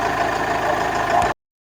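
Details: Toyota Corolla Verso 2.2 D4D diesel at an even idle, with a steady mid-pitched clatter and no loose rattle on top. The dull rattle on gear changes and throttle lift-off came from contact with a wiring harness, which was moved. The road test confirmed the noise is gone.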